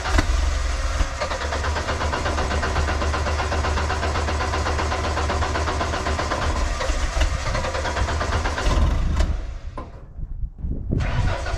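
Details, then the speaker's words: JLG 80HX boom lift, Ford LRG-425 engine, after repairs and a manual choke fitted: warmed-up engine holds a steady deep idle, cuts out, then restarts instantly with the choke wide open; normal warm restart. "that is awesome so that tells me if this thing is warmed up at all it's going to easily restart with a wide open choke"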